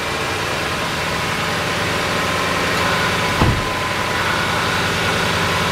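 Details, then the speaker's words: 2004-2008 Ford F150 after serpentine belt replacement, air duct refitted: engine starts quiet and settles into an even, smooth idle with no squeal or rattle from belt, tensioner or pulleys; healthy. "starts up there he started quiet and smooth"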